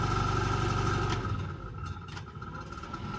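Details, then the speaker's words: Chevrolet pickup heater blower motor being rewired with a resistor: fast, regular buzzing pulse about four per second with a steady whine above it; it barely turns at one speed setting, and the owner suspects the motor is near the end of its life. "Il y en a vraiment un coup le ventilateur. Je repasse en deuxième. En troisième, ça fonctionne comme il faut. Enfin, le moteur est certainement, à mon avis, sur sa fin."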